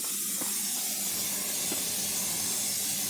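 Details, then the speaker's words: 1987 Kenworth T600 with 3406B diesel, sat in a field 20+ years, first start: loud steady hiss of compressed air escaping, not building air pressure; owner feels air blowing and suspects a tank rusted in two. "oh we got a huge air leak building there yeah it's trying to build air all right well guess we need to find the air leak"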